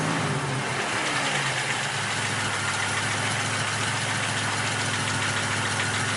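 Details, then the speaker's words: Rebuilt GN engine, under 150 miles into break-in, no overboosting, mic under the car: steady idle rumble with a faint regular tapping knock. Pulling spark plug wires one at a time made no difference; owner hopes it isn't a wrist pin. "my new 100-mile engine. What is it? Wrist pin. Somebody did wrong with the crank, cam."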